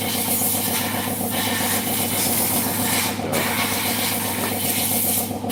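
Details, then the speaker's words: Automatic scooter CVT: rough, gritty grinding under the uneven engine beat at low speed when accelerating from slow, from a dry, worn bearing inside the CVT housing; not heard at higher speed. "Kalau lahar yang di dalam tuh garing, nah ini diputar geredek gini, itu pasti bunyi kritik gitu. Setiap jalan pelan."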